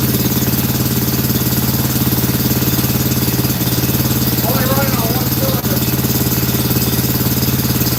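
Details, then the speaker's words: Scag mower Kawasaki twin with a new carb gives an uneven, loping idle of about three heavy beats a second with gaps. A kill-wire test showed only one side mattered: running on one cylinder. "It's only running on one cylinder."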